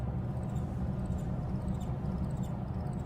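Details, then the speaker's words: Micro Vortex coil without interference pattern, driven by max volt board at about 17.9 V in free-energy resonance setup; thin chattering squeak over low steady hum, no motor; unexpected squeal coming from the coil itself. "where is that coming it's coming from the coil it's still making the noise I've never heard the system do that before"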